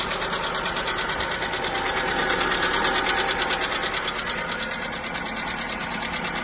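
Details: VW 1.4 MPI (Polo/Ibiza/Fabia) cold start after oil service: light even ticking about three per second at idle, lasting up to 5 min then going away; oil changes only quieted it briefly, new lifters and rockers didn't help; engine ticking, source unknown.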